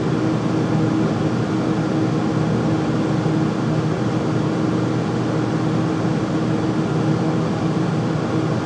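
Constant loud hum with a steady mid tone riding over a rough rushing drone; the furnace is running loud, cause not identified.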